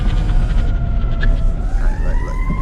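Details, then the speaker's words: BMW E34 530i drift car with welded differential, driven in a tight parking lot: low rumble with chirping, wavering tire squeal as both rear tires scrub and skip in tight turns; sounds like it's falling apart. "Here we go. The car just sounds like it's falling apart."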